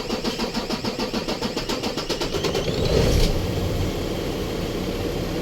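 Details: Isuzu truck with 6WF1 CRDi diesel, hard starting. Starter cranks steadily at about three or four beats a second before the diesel finally catches and runs rough; slow, hard start.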